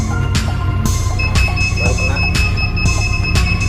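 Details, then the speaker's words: Newly installed budget reversing/parking sensor on a Hyundai car, tested while reversing toward an obstacle: sharp beeps about twice a second over a faint hum, warning of an obstacle close behind; normal sensor warning. "Dengar itu, masih jauh. Secara perlahan, suara itu menghilang."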